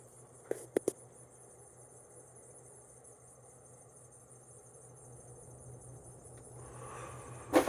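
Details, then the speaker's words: 1993 Heritage-made 42-inch Windsor and Browne Cambridge ceiling fan, new old stock, on high speed after an earlier ticking was quieted. Soft steady hum with a gentle wash of air, no wobble, ticking or rubbing. Normal running. "as you can hear it does actually put out an okay amount of air on high not totally worthless it's good for a small spot"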